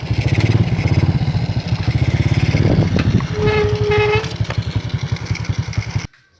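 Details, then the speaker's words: Karisma motorcycle being repaired for sudden stalling, ridden in fourth gear: strong, steady thumping exhaust pulls evenly and smoothly without cutting out; acceleration smooth and stable, normal running. "Lihat, akselerasinya masih mulus, teman-teman. Tarikannya masih lancar dan mesinnya masih dalam keadaan idle, teman-teman."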